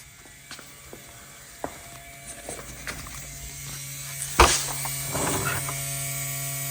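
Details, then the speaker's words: 1982 Porsche 911 Slantnose, not run in over 20 years, ignition on with relay refitted: a new electric fuel pump gives a steady, loud, even buzz at one pitch over a few clicks and knocks, showing normal fuel pump operation. "that thing is going crazy no real need to test any further"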